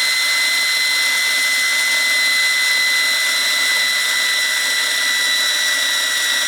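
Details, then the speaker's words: Wilesco T115 toy steam turbine running free with the drive belt removed: clean steady high whine with hiss, pitch even without wavering or rubbing, long spool-down; bearings are good. "You can hear how much longer it takes to spool down without the drag from the belt. So, yeah, the bearings are really good."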